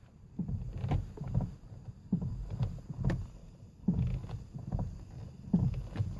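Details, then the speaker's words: Ford Focus Mk1 steering column with about 183,740 miles: low clunky clicks come in bursts as the steering wheel is turned back and forth, before the column is removed for replacement. Steering column clicking. "hopefully you can hear that clicking and before we rip the column out and I get the lower bolster off and some light in there I'll show where the failure point is on this particular column"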